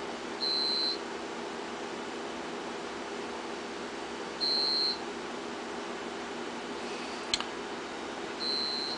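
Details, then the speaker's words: Home-built generator transfer switch test with mains breaker off; generator failed to run, so no transfer: UPS units give half-second high beeps about every four seconds over quiet room hum, their on-battery alarm. "here's are the UPS's down here they're beeping they should be running on battery backup something is wrong"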